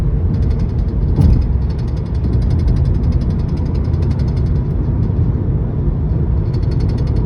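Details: 2012 Volkswagen Passat at about 75 mph: light, quick tapping from the dashboard over heavy road roar, with or without AC. It once stopped when cruise control was engaged and returned after a fuel filter replacement; the cause is unknown.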